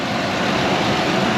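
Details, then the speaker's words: 2006 Ford Explorer after maintenance with all spark plugs and plug wires replaced: steady even idle hum, no misses, ticks or knocks; normal idle. "And I just want to show you guys this engine and how good this thing sounds. It sounds like better than a sewing machine. She sounds good."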